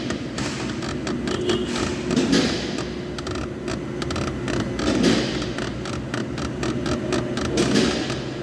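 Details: Jeep Compass front suspension rocked gives a slow groaning creak that returns each time. The front sway bar link (bieleta) is creaking at its joints; replacing the link solved the noise.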